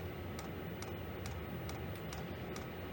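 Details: Diesel heater in a non-insulated two-man ice hut, around -5: sharp light dosing pump ticks about twice a second, evenly spaced over a steady hum, pulsing normally.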